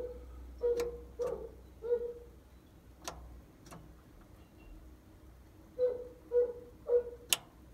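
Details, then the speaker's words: Key on, parking brake switch off, vehicle still: sharp, irregular clicks from the reverser's side solenoids, several with a short mid-pitched buzz. "key is on parking brakes switches off and you should be able to hear the solenoids clicking"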